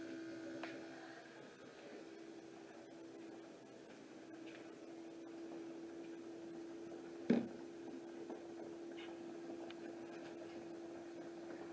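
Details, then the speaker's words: 1977 MGB, aftermarket electric fuel pump in the trunk, key on, engine not cranked: quiet, constant electric hum at one steady pitch; pump runs normally and delivers a good stream, though earlier it sprayed fuel under the hood. "So the fuel pump is back there in the trunk, a little electric aftermarket fuel pump, and I haven't tried to turn it over yet because as soon as I turned it on, or turned the key on, the fuel pump started pumping fuel and blew it all up under the hood."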